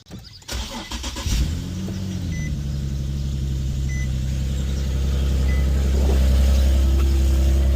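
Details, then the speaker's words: Infiniti FX37/QX70 first start after installing an ISR Y-pipe; exhaust leaks at the Y-pipe flange, whose end the previous owner had scratched out of flat; cranks, catches, then idles with a rapid puffing tick. The fix was sanding the flange flat. "all right so when I turned the car on I noticed that it was kind of like leaking from right here quite a bit"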